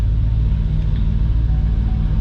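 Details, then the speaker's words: 2005 Hummer H2, 6.0L LQ4 V8, 191,761 miles, aftermarket exhaust, to be sold as a swap motor: deep, even, steady idle rumble with no knocks, ticks or misses; running nice and smooth. "this is an lq4 6 liter v8 as you guys can hear it is running nice and smooth we'll rev it up here in just a minute"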